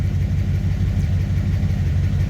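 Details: Ford Ranger with a newly installed V8, idling after a ground wire was reconnected, 25 psi oil pressure at idle, wideband running: deep, steady idle with an even low pulse, no knocks or misses; healthy.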